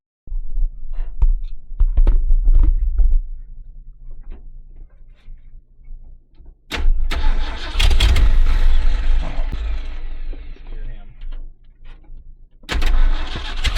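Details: 1970s Ford dentside ramp truck revived after about 10 years with a Chevy HEI ignition module rigged in: starter whirrs in bursts, then the V8 catches and runs with a loud, rough but steady rumble.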